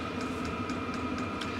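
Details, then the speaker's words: Diesel heater in a van, used on a -2 degree night: light regular ticking about four per second over steady fan hiss, annoyingly loud at night; it is the fuel pump itself clicking, normal. "can you guys hear the heater that little tick tick tick tick when it's the middle of the night that is so loud"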